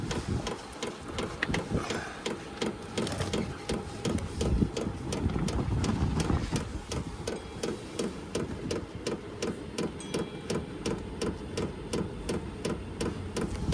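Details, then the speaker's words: HCalory diesel heater (compact tool box 2) on first start, still cold and blowing air: crisp, even pump ticks nearly three a second over a soft fan whoosh; fuel pump metering normally during warm-up. "but yeah you can hear that pump thick thick but I guess you get used to that sound it's not that bad"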